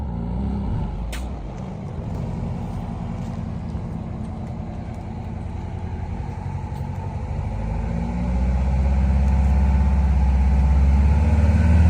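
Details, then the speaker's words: Eagle bus diesel after Appalachian descents: deep drone with steady low throb like an unbalanced tire, only under throttle above about 25 mph, growing louder accelerating; no power loss. Cause found to be drop box bearing failure. "It's almost like a tire, like an unbalanced tire sound, but it only does it when I'm in the throttle and only once I get over about 25 miles an hour."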